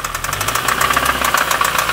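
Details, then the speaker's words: Mini One R50 1.6 16v 90hp: after revving 2nd gear past 7000 rpm and shifting to 3rd, a fast even metallic clatter from the top end rises with revs, no smoke; owner suspects a dead hydraulic chain tensioner and slack timing chain. "j'ai passé la 3 et après s'est mise à claquer voilà comme ça voilà donc là euh moi je pense au tendeur de chaîne"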